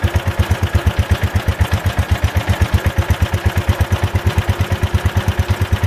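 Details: Ford Model 100 garden tractor (made by Jacobson) with old single-cylinder Kohler, first start-up: even steady thumping, no misses; some carbon blown out of exhaust at first start, carburetor adjusted, charging system working; runs nicely.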